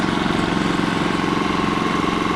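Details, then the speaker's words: Kipor IG3000/IG3500 inverter generator with Champion inverter board wired to outlets, started with choke: steady even idle, quick regular pulse, no misses or knocks, output light showing power; normal idle. "there we go we have our generator and making power that's what the light says"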